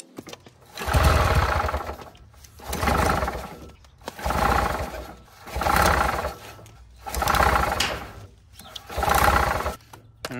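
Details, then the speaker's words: Misfire on a non-running 1967 Vietnam-era Army generator (2-cylinder, 3 hp, 1500 W) before cleaning the points: it fires in short, rough, uneven surging bursts roughly every two seconds, running on one cylinder because the bottom cylinder had no spark. "so after cleaning the points and hearing it run for the second time i think it was only running on one cylinder the first time here's what it sounded like before"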